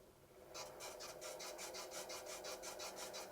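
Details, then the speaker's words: Laguna DP20 drill press, new, first start at very slow 60 rpm spindle speed: rhythmic scraping rasp about three strokes a second, weird sounds, something rubbing; cause unknown, feels still with tiny vibration. "Oh, that doesn't sound good. Huh. Not too... Those are some weird sounds."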